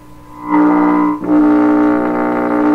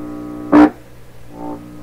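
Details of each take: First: 1928 RCA Victor Model 28V radio under restoration, tuned to 550 while signal is checked at the tube grid: steady droning, buzzy tone cutting in and out as the RF stage breaks into parasitic oscillation; being desensitized. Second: 1928 RCA Victor Model 28V radio: steady low hum, then a loud brief burst of hum when the detector tube grid is touched by finger, which softens and recovers; the grid leak resistor is apparently working properly.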